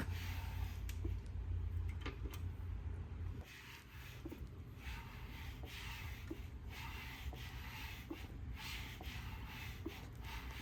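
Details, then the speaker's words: Rebuilt Mitsubishi Lancer Evo 8 engine, bottom end assembled, turned slowly by hand: faint sharp ticks from the number 3 piston. "With the bottom end together, listen closely as the number 3 piston makes a sound that just isn't right."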